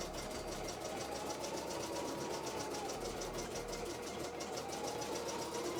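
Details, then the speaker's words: Embroidery machine being test-run before return. Fast, even stitching rhythm over a smooth motor hum, with no catching, knocking or labouring. Normal stitching. "no it's um what you can hear is part of my work actually I'm just testing a embroidery machine I putting it through its Paces because I'm taking it back tomorrow"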